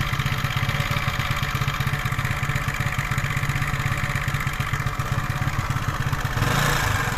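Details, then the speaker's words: 125cc four-stroke scooter engine just after piston and ring replacement, new rocker arms, cam timing and valve adjustment, fresh 0.75 L oil: steady even low putter at idle, no knocks or rattles, no operating problems. "now the oil level is exactly where it should be and it seems that it is not making oil at the moment, we have no problems with its operation."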